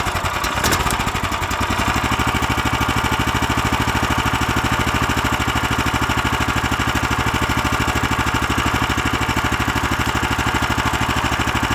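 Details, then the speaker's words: New Lifan LF390QE Pro single-cylinder engine on a flail mower, key-started outdoors on a cold day with fuel on, choke on and throttle off: catches almost instantly, then a steady thump of about three beats a second, no misses; normal start and idle. "but this is perfect started up first didn't even turn over once hardly and it fired up"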